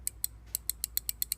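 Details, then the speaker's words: New switch fitted during a Huebsch Originator dryer ignitor replacement: crisp, light clicks about six or seven a second, each springing back cleanly, unlike the old worn, floppy switch. "you can hear it clicking you can see it Springs back where it should be this one's just floppy so I mean can only imagine how many thousands of times that switch has been pushed and times up on it"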